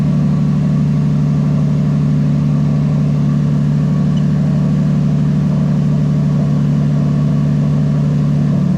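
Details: 1JZ-GTE VVT-i engine from a JZS171 Crown swapped into a Toyota Altezza RS200 with plug-and-play harness and J160 gearbox, no codes: steady, even low hum with smooth beat, no knocks or misses; idling cleanly.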